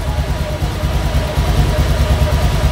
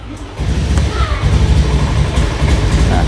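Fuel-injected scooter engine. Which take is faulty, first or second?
second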